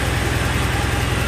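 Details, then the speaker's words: Porsche 944 (85.5 or newer) idling after idle speed adjustment via throttle plate stop, auxiliary air screw and idle stabilizer bypass at the fender diagnostic plug: steady, even low burble, no misses or hunting, healthy idle. "I'll show you a clip I took earlier this week. So I got the idle speed adjusted."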